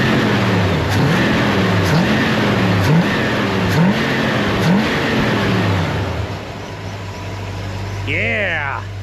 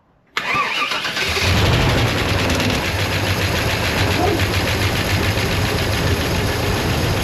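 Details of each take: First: Near-stock Vortec small-block Chevy in a Chevelle, carburetor with 10.5 power valve and orange accelerator-pump cam, stock heavy torque converter: quick clean blips from idle about every second, revs rise and fall crisply with no stumble or bog. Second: Vortec small block Chevy V8 (nearly stock, small cam) in a Chevelle being revived, freshly fired and burning off old gas: loud idle with a fast rough ticking scrape at fan speed as the cooling fan blades hit the shroud; shroud then fixed.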